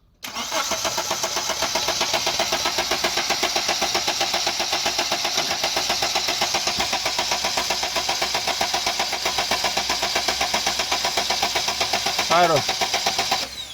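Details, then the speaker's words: JAC diesel pickup, about 600 km after fuel pump and injector repair: starter cranks on and on with even compression pulses about four per second, never catching; hard starting, leak-off test shows the third-cylinder injector leaking into the return. "А ось автомобіль проїхав там близько 600 км. або два тижні десь і знову ця проблема і вона не запускається, довго крутить."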